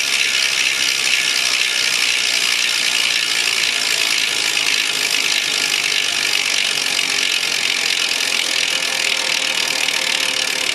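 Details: 2010 SRAM S60 rear hub freehub (SRAM Red OG-1090 cassette) coasting without pedalling: steady, loud, high-pitched clicking buzz throughout; very noisy but normal freehub pawl ratchet.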